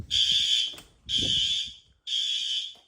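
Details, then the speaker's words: Three loud, shrill fire alarm horn blasts, each about a second long with short gaps, steady and strong, during routine monthly life-safety testing: this horn strobe is working properly. "that horn strobe is good"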